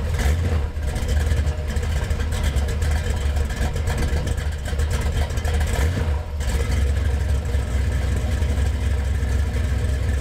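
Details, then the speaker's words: Gen VI L29 454 big-block V8 on an engine stand with factory ZZ502 hydraulic roller cam ground on 110 lobe separation: choppy loping idle with crisp throttle blips, healthy engine, mild-size cam with decent lope. "It's a very like healthy sounding motor. It's a nice cam, and for a GM cam, it's cut on a 110, so you get a pretty decent lope to it."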